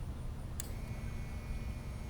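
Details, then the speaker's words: RAM Cummins diesel during fuel filter replacement, lift pump powered by 12 V applied at fuse 70 (30 A) to purge fuel: faint steady whine near 2 kHz over low hum; normal lift pump operation. "All right. You hear the lift pump? I hear it. Nice thing about this too is it'll purge any kind of bad stuff out of it."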